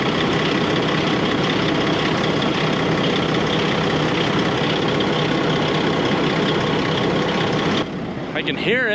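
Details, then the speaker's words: Farm grain truck diesel at idle with air pressure not building: a steady, even hiss that neither builds nor fades, from an air leak somewhere. The location has not been found. "so we've got a problem our air is not building in the truck meaning we've got an air leak somewhere that's got to be fixed"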